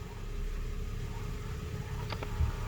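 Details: 2006 Nissan Frontier cab at engine idle with blower hum: only two soft clicks as the recirculation air door settles, no knock, after a zip tie was fitted behind the glovebox to stop door over-travel.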